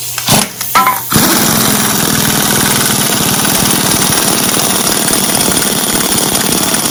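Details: Rebuilt 40 hp air-cooled VW flat-four from a 1962 Type 2 bus that sat over 40 years, first start after restoration: after handling knocks it settles into a steady, even, fast putter with no knocks or misses; normal idle.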